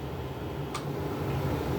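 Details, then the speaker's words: IYV ILS250SB LP Special-style guitar with P90 pickups, number 2 with tulip tuners: steady low buzzy 60-cycle hum over amp hiss on one pickup; buzz goes away with both pickups together, apparently hum-canceling. "Oh, hear that? Got that 6 cycle hum going on."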